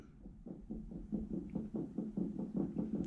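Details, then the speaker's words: Riding mower deck spindle, belts removed, shaft rocked by hand 9-to-3: light dull clunk repeating about twice a second; slight play in this spindle bearing, judged not that bad, other two spindles fine. "Hopefully you can hear that. It's just dumping just a little bit. So this one right here is not that bad."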